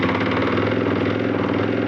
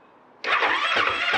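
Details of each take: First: Husqvarna FE 501 in cold conditions, first crank on a new SSB lithium battery (stated 240 cold cranking amps): a brief crank, then the single fires first time and settles into a steady, quick idle; cold start problem fixed. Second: Husqvarna FE 501 in cold conditions below 20°C, cold start button pushed, on its stock underrated battery: the starter labours through slow surges without catching; the battery lacks cold cranking amps for a brisk crank.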